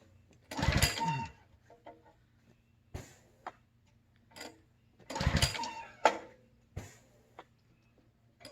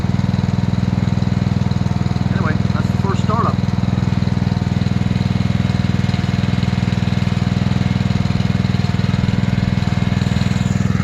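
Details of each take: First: New Simpson ALH3228-S pressure washer on its first startup, with fuel on. Two pull-cord rips give only a rattly spin with no firing. It cranks but won't start, and the owner is unsure what's missing. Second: New Simpson ALH3228-S pressure washer running just after its first startup, which took more throttle and little choke. A steady, even small-engine drone at constant speed with no misses; runs cleanly.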